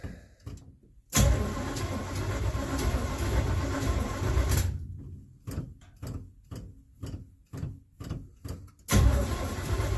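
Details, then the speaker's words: 1967 Chevelle after rewiring with fuses: starter spins engine in steady bursts then short stabs, never fires; suspected no spark and gas smell, bad ignition coil. "I have a feeling we ain't got sparked and I smell gas so I'm going to check around on that a little bit"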